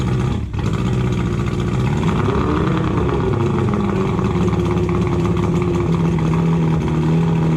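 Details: Boat engine that hadn't run in over a year, after a new starting battery, new spark plugs and plug cables: it catches, revs rise briefly, then it settles into a steady, even idle with a low rumble; it starts and runs fine.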